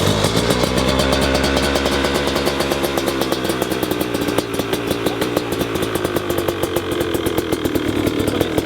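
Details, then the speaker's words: Brand-new 350cc two-stroke motorcycle, never run before, first start on the choke ahead of break-in: fast, crackly, slightly uneven popping at a raised idle, fully flooded, which is normal. "Ouais, c'est normal. Bon, j'avoue que le bruit est très Bah attends et puis là elle est engorgée à bloc."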